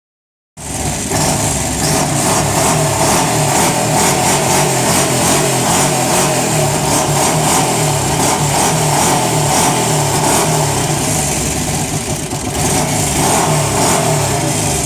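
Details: Arctic Cat 650 V2 ATV V-twin engine runs steadily with a loud, harsh clattering rattle pulsing about three times a second; the owner doesn't know the cause.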